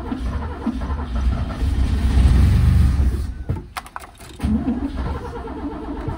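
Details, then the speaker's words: 1963 Mercedes W111 220SEb cabriolet under restoration: the starter churns the engine over steadily but it never catches. The fuel pump can be heard but nothing circulates because the tank ran out of fuel. "I think we're out of fuel what's up I left it quite low I can hear the fuel pump but nothing's circulating so I run out of fuel"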